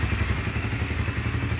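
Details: 2006 Honda CBR 150 (original engine, never opened): steady, even low thumping at idle with no misses, stumbles or hunting. Smooth, healthy idle.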